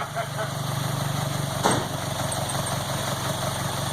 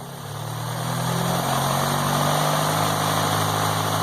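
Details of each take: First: Low, even idle with a smooth steady beat and no misses or knocks on a MK2 VW GTI converted from fuel injection to four Yamaha R1 carbs, after first start and warming past cold running; normal idle. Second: MK2 VW GTI converted from fuel injection to four Yamaha R1 motorcycle carbs, first start with fuel pressure set to about 3: a steady, slightly fast idle with an even low drone, no leaks and no rich smell. Idle speed set a bit too high.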